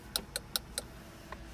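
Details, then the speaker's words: 2008 Dodge Journey after SKIM module replacement (R03 recall) and a new ignition with two new keys: four sharp light clicks then a softer one as the first new key is turned; normal ignition switch click, key working. "okay, the key is working. If you hear that click. Yep, that's one key."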